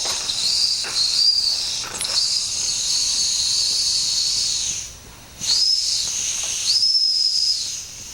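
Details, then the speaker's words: Limited-edition 1992 Wilesco D400 steam traction engine (#447 of 600) with known issues: thin, breathy high whistle comes and goes over steady hiss, boiler pressure still too low to sound it strongly; owner wonders if the whistle itself is faulty. "so I'm currently hearing Signs of Life at least it sounds like sounds like it is really a little bit of pressure maybe not maybe that whistle is no good"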